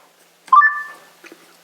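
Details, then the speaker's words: Bose SoundLink Mini Bluetooth speaker: quick rising run of two or three clean electronic tones, about half a second, its normal chime on connecting; switchable between Bluetooth and auxiliary. "the sound it makes when it connects. And we can switch it between Bluetooth and auxiliary."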